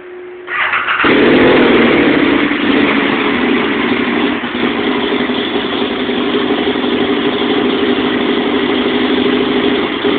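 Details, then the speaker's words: 2006 Aprilia Caponord cold start: brief starter whir, then engine catches and idles roughly with uneven beat before dying; ongoing rough idle and stalling problem. "very rough running and it died"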